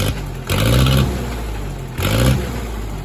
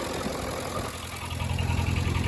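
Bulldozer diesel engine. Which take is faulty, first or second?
second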